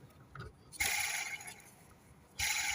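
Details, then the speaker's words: Fiat Ducato van: auxiliary belt removed and idler/tensioner pulley spun by hand gives bursts of gritty, rough whirr; the bearing is gone, replaced with new tensioner and pulley. "As you can probably hear it, the bearing is gone in that."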